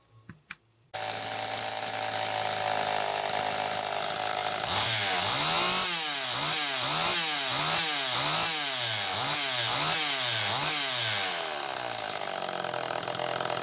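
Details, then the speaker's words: Homelite Super EZ chainsaw after repair (coil baked to fix no-spark), started with a drill via the decompression valve, revving crisply with no stumble; running healthy. "it's wide open at whatever rpm it happens to be running at so sounds like it's running pretty damn good"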